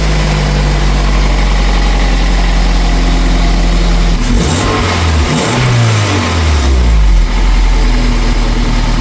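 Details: Toyota MR2 Mk3 Spyder first start after installing a de-catted header (pre-cats removed) with heat wrap: catches to steady deep idle, clean rev rises and falls smoothly; healthy, even.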